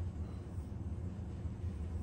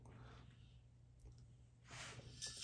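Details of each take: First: Bicycle wheel trued with zip ties and a spoke wrench; loosening two spokes in the middle of the rub spot eliminated the rim rub. Spinning, it gives a soft, even, consistent whirr with no scrape or rhythmic rub: the wheel is true. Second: Bicycle wheel spun between zip-tie guides before truing: light rhythmic hiss of the rim rubbing alternately on both sides once per turn; out-of-true wheel rubbing.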